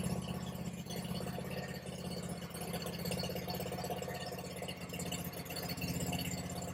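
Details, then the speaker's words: Kawasaki V-twin (691, a near-identical parts motor for the 726) on a Bad Boy zero-turn mower rebuilt after a fire: quiet, steady idle with an even low beat and light rattle, charging about 14 volts; sounds healthy, normal. "Oh, she sounds good. She sounds real good."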